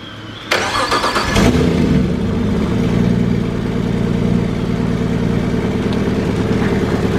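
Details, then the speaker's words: Nissan RB25DET in an S13 on Haltech ECU with new wiring harness and drive-by-wire, first start: cranks and catches into a lumpy uneven idle with stumbling beat and rattling; seems not running on all cylinders, throttle pedal not responding. Cause not confirmed. "it's doing all kind of craziness i don't know it's definitely not doing what it should be doing doesn't sound like it's on all cylinders"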